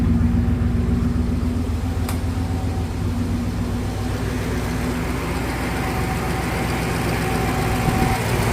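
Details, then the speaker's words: 1971 Rover 3500S (NADA P6) V8 at idle after installing Lucas 11AC alternator to replace one with seized pulley bearing: even, deep idle with smooth rumble, no squeal, whine or chirp from belt or alternator; charging; normal idle. "You see that kind of flaps around, but no noise or anything. Everything sounds good. The pulley is working very well."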